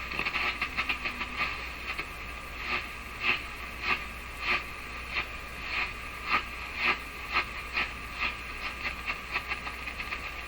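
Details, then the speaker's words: Canadian Philips 922 tube radio after replacing paper capacitors, running with no antenna: hissy static with sharp crackling bursts roughly every half second, unevenly spaced; radio interference, possibly from something in the shop or a fault in the radio, unconfirmed. "That's interesting. So I don't know what that is. Something in my shop putting out a large number of signals, or something going on with the radio."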